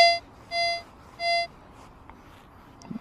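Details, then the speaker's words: Nexus MP V3 metal detector ground balancing, final adjustment with the fine potentiometer. Three short beeps, then the tone drops to quiet: ground balance nearly set. "now it's totally quiet look at that I use theine ground balance for the final adjustment"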